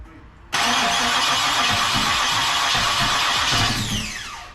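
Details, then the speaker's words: Freshly built Ford 306 with heads, cam and intake, in a Fox body, first start-up after the transmission install: fast, even cranking for about three seconds that never catches, then the starter winds down. The timing was bumped up afterward. "bam yep damn it well that didn't work"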